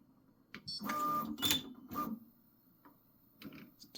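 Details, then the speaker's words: Prusa XL tool 5 tool change after reset, nozzle no longer hitting dock: brief high thin squeaks amid tool-swap clatter, owner suspects other parts rubbing, source unconfirmed. "a little bit of a squeak huh but that might that squeak might be these things here I mean it's not hitting this [Music] anymore"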